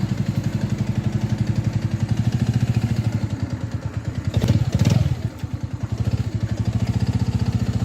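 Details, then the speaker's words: Mash Fifty 50cc single at 21,000 km, on a cold test ride after rebuild with a new timing chain: a steady pulse with a light mechanical clatter. Big end is within spec; owner suspects the starter mechanism behind the generator. "the noise is still somewhat noticeable and I'm beginning to suspect it's the starter mechanism that lives behind the uh generator here"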